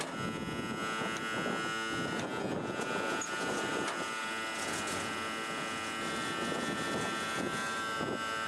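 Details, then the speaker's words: REO truck, first start of spring after sitting unused over winter, cold start with choke and throttle pulled out, in neutral with parking brake on: a steady high reedy buzz over a faint engine is the low air pressure warning, as brake air has not built up yet. "well it's gonna get loud that's just the low air pressure warning letting me know that i can't drive because i have no brakes"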